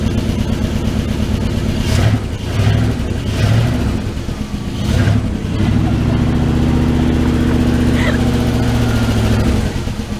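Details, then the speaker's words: 1979 Dodge D100 Adventurer pickup V8 revived after sitting, new mini starter, fuel just reaching carburetor: couple of short blips, then steady smooth beat with no misses, all eight cylinders firing; normal idle. "It'll do this a couple times. Then it'll go. Hey, it's hitting all 8. Yay!"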